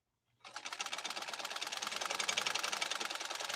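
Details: PFAFF 130-6 sewing machine sewing a decorative stitch at settings 4-3-2 via its embroidery kit: quick, steady needle clatter at an even pace with no knocking or binding. A healthy, smooth-stitching machine.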